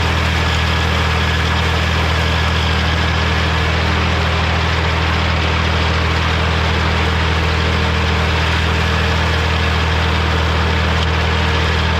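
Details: Morra F25-6 disc mower on a tractor, test run after repair (it had a pod bearing failure the year before and is down again). Steady deep drone at constant speed with no clatter or metal strikes; running smooth.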